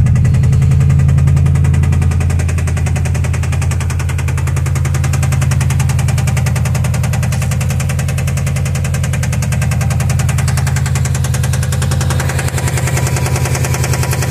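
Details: 2005 Subaru STI, almost stock with a Tial Q BOV, 130k on the clock: a deep, heavy thumping knock of about 160 per minute under a loud, bass-heavy engine note; rod knock is suspected but not confirmed.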